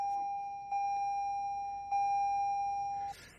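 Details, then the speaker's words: 2020 Toyota Corolla SE seatbelt reminder: steady high chime in evenly spaced beeps for about three seconds, then stops; the unbuckled-seatbelt warning. "And 5 beeps telling me, look in the mirrors, get the seatbelt on, check the camera when backing out."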